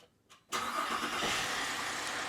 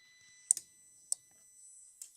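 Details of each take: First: 2005 VZ Commodore V6 after a new starter was fitted and the battery reconnected, following a no-crank fault with a burnt solenoid: a click, then it cranks and catches at once into a steady idle; repair successful. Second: 2005 Holden VZ Commodore V6, towed in with no crank/no start after an electrical smell and white smoke: key to start gives only relay clicks, no cranking.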